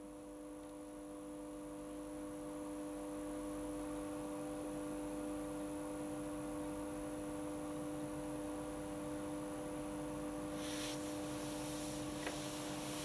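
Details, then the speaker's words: Hotpoint Aquarius+ FDW70 dishwasher on test wash: steady low electrical hum with no sound of water moving; the motor buzzes but isn't pumping, though the drain pump works. Motor capacitor later replaced; cause suspected, not confirmed. "So long as it's drained, finished draining, I can empty the... thing. Is it, you can hear the buzzing?"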